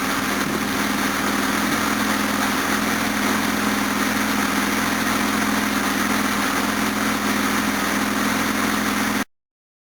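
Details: Series 1 Jaguar XJ6 with twin SU carburettors, no choke, cold on a freezing day after a water pump and thermostat replacement, still warming with the thermostat shut. Smooth, even idle with no misses or knocks; idle is perfect, timing possibly slightly advanced.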